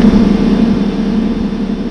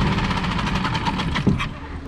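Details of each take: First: Small Mercury 4-stroke outboard catches and runs a moment, then dies; the carburetor is suspected, typically jets clogged by stale fuel. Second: Mercury 4-stroke small outboard (3.5–6 HP class) in water test after carburetor replacement, previously started then died: quick even firing patter, steady low rumble, no misses; normal running.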